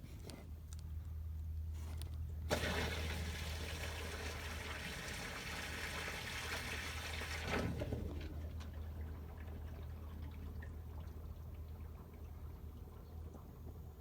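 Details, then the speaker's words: Sump pump switched on by lifting the float, heard from under the deck where the discharge pipe is buried: a steady rush of water starts abruptly, runs evenly, then eases. No leak; pump is running more often in spring. Normal discharge flow. "okay i had lori go in and click the pump on just pull the float up and i can hear it so it must be right underneath the dirt here um but there's no leaking"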